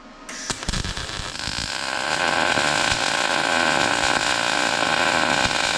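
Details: A MIG weld run with the circle technique (small forward loops, rhythm counted, 3/8–1/2 inch stickout, gun pushed slightly ahead) gives a steady, sizzling crackle with an even buzz after the arc strikes. A well-set, healthy weld.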